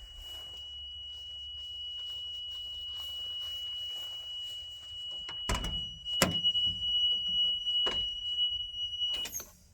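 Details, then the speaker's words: Abandoned military M1078 LMTV (Stewart & Stevenson, CAT engine) that won't start well and isn't getting fuel: steady high-pitched low air pressure warning beep over a quiet engine and clunks. "listen that annoying beep from uh the low pressure might just destroy that"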